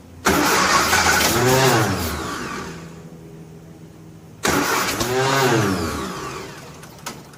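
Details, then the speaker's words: 1957 Nash Metropolitan barn find, sitting many years, manual choke, fuel pumped up: two long cranking bursts that rise and fade without catching; no-start caused by crossed spark plug wires. "um wheel surprise a little bit that it didn't just run but it's not far from it"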